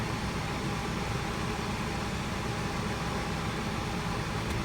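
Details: 2012 Hyundai Sonata with electric power steering, key on while the wheel is turned, after replacing the small piece that caused the steering wheel clunk: a steady, even hum with no clunk or knock. Normal, quiet steering.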